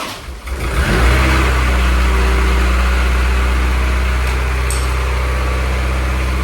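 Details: Honda F24 engine, first start of the newly installed motor before tuning, warming up to burp the coolant: it fires quickly and holds a smooth, steady idle with no ticks, knocks or misfires. No leaks; normal idle.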